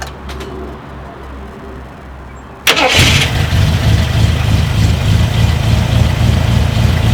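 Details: Long-sitting Jeep Cherokee Chief with a fresh oil change, a charged battery and float bowls filled with gasoline: the starter cranks briefly, then it catches and settles into a steady, even idle with no knocks or misses. A healthy start.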